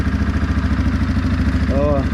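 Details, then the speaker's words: 2016 Suzuki KingQuad 500 4x4, bought non-running, idling after starter motor replacement fixed it: even steady idle thump with regular firing pulses, no misses or knocks; normal idle. "so it actually runs really well in a as you can hear and uh it's great"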